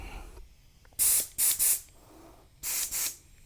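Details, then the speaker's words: Air hose quick-connect fitting on a compressor, fitted without Teflon tape for a test before inflating tires on a 2023 Chevrolet Bolt EUV: sharp bursts of high hissing air, about three short blasts with quiet between, an audible fitting leak. "most of my uh my tools don't stay together very long there is a leak of course you can hear it"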